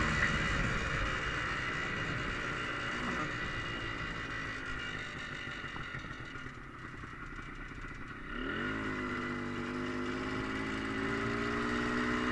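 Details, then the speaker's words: Polaris Trailblazer 250 two-stroke, smoking on roughly mixed premix with possibly too much oil: crackles and rattles at idle, pitch climbs with revs, and a clatter comes in on throttle; owner suspects a worn top end needing rebuild. "One thing I might have to do, every time I give it throttle, I hear how do I describe it? Like one of those sounds that you usually hear in the top end when it's kind of going out. I might have to do a top end rebuild,"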